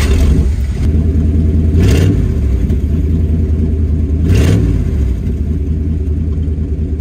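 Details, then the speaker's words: 1988 Chevrolet C1500 Scottsdale V8 farm truck, just got running after solving rich fuel mixture, open exhaust exiting under the cab before the new parts-store exhaust is fitted: deep, loud, raw unmuffled rumble on two quick throttle blips; sounds good but too loud. "so now that we got the truck actually running it's time to do something about this exhaust it's loud and it sounds good but it's too loud"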